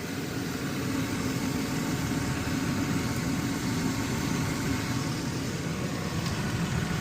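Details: 2005 Nissan Frontier after a new fan clutch and positive battery terminal, 36°F outside, engine warming: steady even idle with a smooth low rumble and the fan clutch audible, no knocks or squeals; thermostat found not opening.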